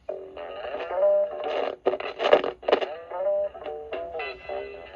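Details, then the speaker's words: Panasonic RQ-2104 slimline cassette player (possibly 1970s–80s), playing a tape: music breaks up with scratchy crackling bursts and brief dropouts. The owner suspects the volume control needs cleaning. Rewind and fast forward work. "but it does play okay but it needs the tuner or the uh volume control cleaned"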